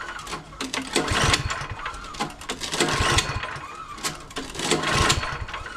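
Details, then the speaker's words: MTD Pro 21-inch snowblower, 179cc four-cycle engine, choked and primed with fresh gas after the fuel bowl was checked: repeated pull-cord rasps about every two seconds with only a brief weak sputter; no start, owner suspects a blocked carburetor. "maybe there's something that's stuck inside that I didn't see inside the carburetor that needs maybe needs to be cleaned out that's keeping the engine from starting it's Butters a little bit not much"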